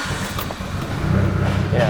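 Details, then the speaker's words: Mitsubishi Evo 8 idling steady and smooth after tuning; a low-hanging rich-sounding idle when warm was not fuel but the stepper idle control motor, fixed by commanding more opening, so it now starts like stock. "It wasn't actually a fuel thing. It was actually the idle control motor trying to. Like the stepper. Yeah, I had to command more out of it. Okay. So once I did that, it's good."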